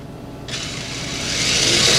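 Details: Kyosho Hanging On Racer RC car, owned 10 years but never run, bench-tested on a 3-cell pack and held by hand. A high electric whine climbs smoothly in pitch as the motor spins up. It is clean and even with no grinding, a normal motor run.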